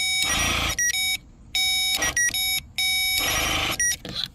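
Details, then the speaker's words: Removed air suspension compressor from 2007–2013 BMW X5 E70, bench-tested by applying power directly; loud steady electric buzz in short bursts each time power is applied, pump works normally. "right so that lets me know that this pump actually works okay so that's how you can test your pump um to make sure that your pump works"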